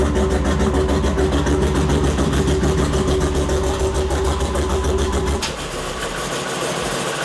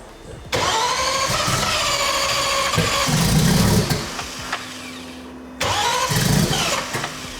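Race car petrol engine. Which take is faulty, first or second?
second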